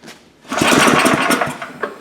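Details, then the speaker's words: Gravely power brush sweeper small engine, unrun 10 years in a shed: fires on one pull with gas poured in, runs rough briefly then dies; spark confirmed, carburetor bowl suspected clogged; starts briefly then stalls. "Okay, so it ran on the gas you dumped in it and then it quit. So you know what that tells me? Bowl is probably clogged with stuff."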